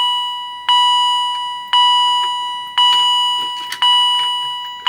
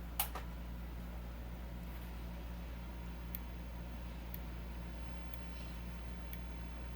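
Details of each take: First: Edwards EST 757-5A-CS Integrity chime strobe, triggered via EST SIGA-278 pull station; chime about once a second with a faint extra quiet ding before full chiming, repeating on each pull; cause unknown. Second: Edwards EST 757-5A-CS Integrity chime strobe, strobe-only test on a 12 V DC bench supply; sharp ticks about once a second over a low hum with a faint high squeal, normal for this enhanced, synchronizable strobe.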